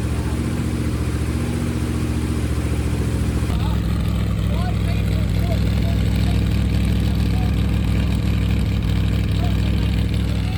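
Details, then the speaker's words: 388 Small Block Chevy with vintage Hilborn mechanical fuel injection, MSD ignition, over 50 psi fuel pressure, first startup after fixing fuel leaks; strong lumpy V8 revving cleanly and settling evenly, no knocks, runs healthy. "Try again without fuel leaks. It sounds good. Yeah, it does. I like it. It does."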